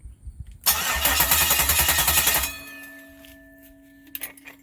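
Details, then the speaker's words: 1969 Camaro, old engine after a main harness plug and ground fix, fuel sprayed into the intake: fast even cranking for about two seconds, catches briefly and dies to a whine; cranks and fires. "i cranked it put a little fuel in it and then fire right up so that uh that's what the issue ended up being"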